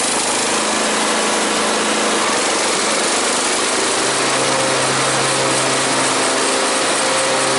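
Engine runs at a steady, even speed with a constant hum under a lot of hiss; sounds healthy, maybe a faint light rattle.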